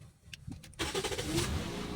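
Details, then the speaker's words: Toyota Vios, cold engine, owner complained of long cranking and low power: brief starter whir, catches on first try, settles into steady even run, no longer hard to start; normal quick start. "nakagalit na agad eh yun So hindi na siya ung hirap"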